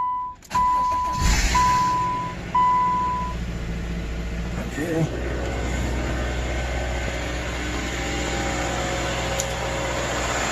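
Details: 2010 Subaru with replacement engine of 87,000 miles, fitted after the original overheated and failed: a few chimes, then it catches quickly and settles into a smooth, steady idle with no knocking or ticking; normal start-up and idle.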